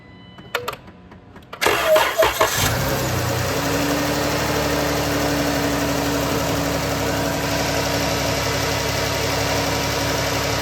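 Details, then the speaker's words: 2009-2011 Dodge Avenger V6, no-crank no-start after dying with dash lights: cranks and catches, then a steady low groaning drone over idle from the accessory belt drive, like a dying whale; rusted, seized AC compressor clutch pulley. "it's spinning all right now we got a weird noise so we're going to start it it sounds like a dying whale but uh we're going to pull the belt off I'm I'm assuming there's something on the accessory Drive whether it's an idler"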